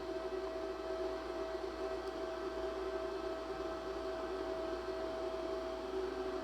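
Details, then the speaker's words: Ford with engine off: electric cooling fan commanded on through a ThinkDiag scan tool fan-speed test gives a steady, even hum with two constant tones and no wobble or rubbing. Normal cooling fan operation. "well that works i can hear the fan running"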